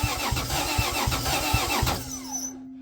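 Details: 2JZ engine with an adapted Chrysler slant-6 distributor, GM HEI 4-pin module and Ford Duraspark coil, on its first start attempt: sparse uneven pops that never catch. The distributor was set for counter-clockwise rotation, so only cylinders 1 and 6 fired.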